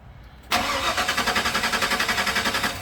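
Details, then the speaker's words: Ford Bronco no-start: fuel pump heard running at key-on, starter cranks at a steady, even rhythm of about four beats a second but the engine never fires. Check engine light on, fuel pressure confirmed. "will not start right now. Interesting. I have a check engine light."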